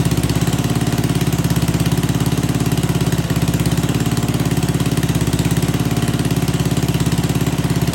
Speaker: well I'm not going to lie I did not put any fresh gas in this I don't know what it's running on but man is that gas stink in there